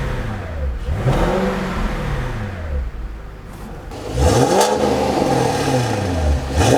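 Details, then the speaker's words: Cadillac XLR Northstar V8 after head bolt repair, stock mufflers modified with chambers cut out and stuffing pulled; catches, settles, smooth blips with deep throaty exhaust, no knocks; normal start and rev. "I did modify the stock Mufflers I cut some of the chambers out and pulled some of the stuffing and stuff out of it and it sounds really good it's not overbearing it's not loud but it has a nice throaty sound to it"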